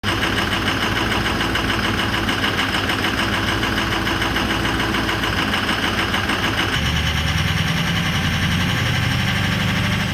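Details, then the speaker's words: 2004 Ford 6.0L Powerstroke diesel that starts but runs very rough: idle lopes and stumbles unevenly with a lumpy knock that shifts partway; misfire, two or three bad injectors suspected, not yet confirmed by scanner. "hey folks welcome back yeah so this thing's uh not really running that great sounds like it's got a couple two three uh bad injectors"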